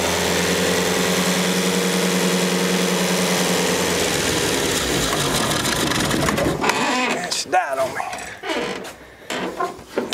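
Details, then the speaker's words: 1965 Datsun 320 pickup, sat over 30 years, gravity-fed fuel pump, choked and somewhat flooded: rough, uneven idle chugs about six seconds then dies; owner suspects too little gas in the tank to reach the pump. "so we're going to go ahead and run to the store and get a little bit more gas I don't think we've got enough in there to allow it to get down to the fuel pum"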